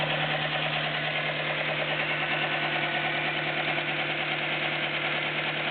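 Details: Nissan Micra 1.0 16V four-cylinder idling evenly, after the belts were tightened: a light, fairly regular tick at around two per second; owner says only valve tapping remains.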